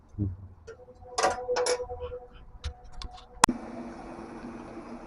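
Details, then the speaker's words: Truck with brake vacuum pump added for low idle, radiator fans wired to the key: after a click, a steady electric buzz from the vacuum pump under rushing fan air; both running normally. "Now there's two sounds you'll hear. One kind of sounds like a buzzing. That's this little thing right here. That's my vacuum pump for my brakes."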